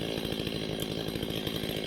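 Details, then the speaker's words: Stihl 025 chainsaw, old and under repair, buzzing at a fast idle raised during carburetor adjustment until the chain just barely creeps forward. "So the first thing you want to do is you want to turn up the idle until the chain moves forward, just barely. So go ahead, turn this up and watch on the right hand side as the chain slowly progresses forward."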